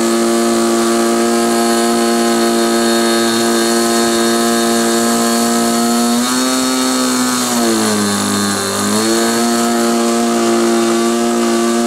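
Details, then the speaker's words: SIG Kadet LT-40 RC aircraft glow engine during first break-in run: high steady buzz that sags and labours for seconds before recovering; mixture found too rich. "um realized that uh what was going on um was it was too rich"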